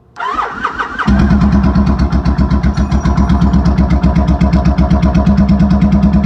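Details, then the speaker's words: Motorcycle starting with choke fully out and fuel on after replacing a faulty solenoid switch that caused cut-outs; starter whirs a second, engine catches at once and settles into an even, steady idle, healthy start. "Let's see if it starts. Make sure my choke is all the way out. Fuel's on. Give it a couple twisties. Should fire right up."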